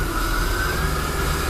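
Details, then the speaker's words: Ice-cold engine, steering wheel turned fully left then right, after adding a full bottle of Duralube automatic transmission additive to the power steering: engine rumble with only a faint steady high note, no groan or squeal or sticking. The pump is quiet. "so absolutely flawless flawless I don't think anybody ever thought of doing that it's quiet as a mouse can hear nothing listen"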